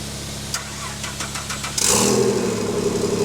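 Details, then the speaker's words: Engine in build after flywheel and clutch install, first startup with no downpipe, exhaust or transmission fitted; quiet ticking, then catches and runs loud and raw, settling steady without misses; normal running. "before we close out this video I wanna let you guys listen to it run with no down pipe no exhaust no trans just the engine"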